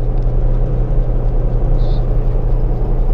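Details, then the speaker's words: Washing machine after repair: loose belt flipped over to tighten it; steady low motor hum with an even whir, no slipping or squeal, spinning smoothly and strongly. Motor was fine, only the belt was the problem. "guys Okay na uli siya akala nila sira yung ating washing machine na p satin pero ang problema lang ay belt medyo maluwag na"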